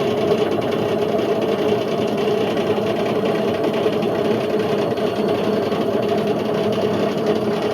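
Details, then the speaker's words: Indesit IWC71453 UKN 7 kg washing machine found dumped, test spin aiming for 1400 rpm: steady heavy rumbling roar, harsh throughout fast spin; drum bearings completely gone, drum eating into plastic tub, heater possibly cut through. "So the bearings have completely gone on this. To the point where the drum's just eating away at the plastic, and you know, you can't really do much of this. The bearings are gone."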